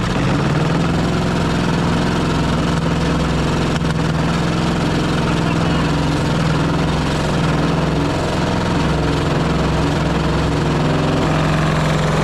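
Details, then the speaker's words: Pony starting engine of a 1945 Caterpillar D7 3T, fired up for the first time after sitting over 40 years, debris spraying from the exhaust: steady fast idle with a faint rhythmic knock under the exhaust beat; some internal knocking. "It sounds like there's a little bit of knocking inside that engine, but uh I couldn't believe it. That thing fired right up."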